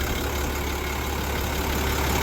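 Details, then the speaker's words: International DT466 diesel idling cold after valve adjustment, heard near the manifold: deep, even idle with steady low drone, no knocks, ticking or vibration; engine smooth and settled. "Vamos a escuchar el motor. Como digo, motor en frío. Miren esto. Serenito tocándolo para que vean. Manifold, todo serenito."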